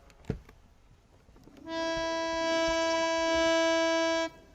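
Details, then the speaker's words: Harmonium lower-octave reed played alone after tuning its upper-octave pair: steady tone about 2.5 seconds, clean but slightly low; reed is flat. "also flat so again we'll we'll scrape just this top section here"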